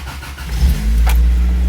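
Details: 1986 Toyota Tercel 4WD wagon with electric fuel pump, after 120 A alternator and battery cable upgrade, sitting two months in damp garage: short crank, catches promptly to steady low idle; voltage rises from 11.2 to 14.3 V, charging.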